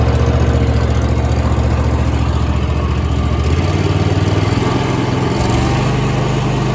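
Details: Mower engine after replacing factory throttle assembly that kept slowing: steady deep drone holding even speed, no surging or hunting; running properly.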